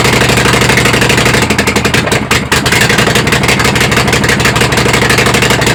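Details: Kohler Command CH18-CH25 V-twin on a tractor, carburetor fitted with an added throttle stop: loud idle with a thumping beat that stumbles briefly around two seconds, still not quite smooth; uneven idle.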